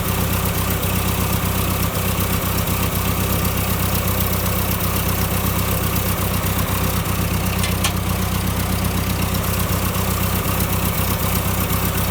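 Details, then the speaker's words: Ford Select-o-Speed tractor (1959 871 or 1968 3000 three-cylinder) idling in neutral during band adjustment: a steady, even chug with a firm low rumble and no knocks, about 900 rpm against an 800 rpm spec. "if you see there I have it uh loosened up and I have it idling at about 900 RPM supposed to be 800 but that's not too bad"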